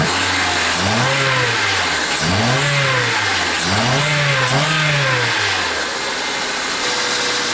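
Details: 2000 Honda Civic EX 1.6L D16Y8 after new plugs, cap and rotor, air cleaner off: revs blipped about every 1.5 seconds, slightly uneven between blips. Some roughness may remain; the fix is unconfirmed.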